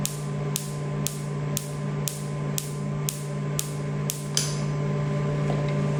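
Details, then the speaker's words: Imported tattoo-removal laser machine after replacing the broken xenon lamp and the shorted MOSFETs: steady low hum with eight sharp, evenly spaced clicks about twice a second, laser firing normally with no codes. "Well, it's a lot of satisfaction when you go and turn it on and there's no more codes. And we tested it and it worked like new, no problem."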